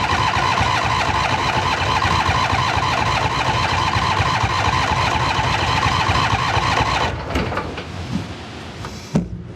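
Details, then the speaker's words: 2008 John Deere Z425 zero-turn mower with old fuel: starter spins the engine at a steady, even rate for about seven seconds without firing, then stops; no fuel reaching it. "Now let's just see if thing turns over first. Catch a direction rotation. Any fuel in it now? No fuel."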